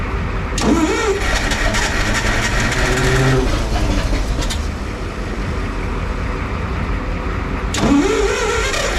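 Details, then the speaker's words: Clark IT70 forklift with suspected fuel issues, fuel run into a clear plastic hose before hooking up the carburetor, after a dead battery: starter whirs, engine turns over with a few uneven catches but never runs; cranking fails to start, throttle lever not yet hooked up. "I forgot something didn't I am too excited and I forgot to hook up the throttle lever so let me just do that second"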